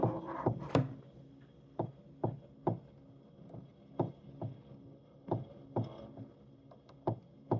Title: Tacx neo bike knocking sound